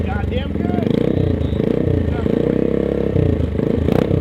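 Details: Honda Monkey single holding a steady idle with quick, even exhaust pulses, no miss or clatter, after fitting a polished stainless Kruesi stealth head pipe and muffler; runs clean.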